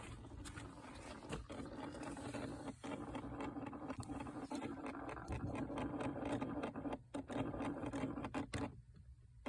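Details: 2006 second-generation Toyota Prius, quiet cabin: uneven scratchy ticking rasp with faint hum, seemingly from the gas pedal, not audible under the hood; others suggest ABS or inverter pump, source unconfirmed.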